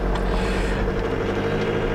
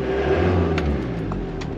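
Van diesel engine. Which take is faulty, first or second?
first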